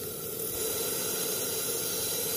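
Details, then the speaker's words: Nissan MR18 engine misfire, injector tested on a bench: a steady, level hiss with no pulsing, showing poor spray from the marked number 1 injector, which is faulty and suspected of sticking open and flooding. "Ito yung number 1 na may marka. So ito talaga nagluloko."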